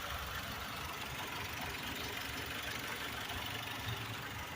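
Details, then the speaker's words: Blue Chrysler PT Cruiser idling at about 1200 rpm, a little higher than the owner expects, on the roadside while waiting for the cooling fan to kick on: soft even idle, no knocking or ticking, no smoke or overheating; working normally. "Everything appears to be working as it should."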